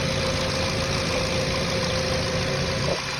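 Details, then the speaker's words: Jetta with single coil pack and ignition wires, hot engine, sprayed with salt water to check for leaking ignition: steady even idle with no stumbles or dropouts; no misfire, ignition system not leaking. "okay so this this IGN system is not leaking is fine"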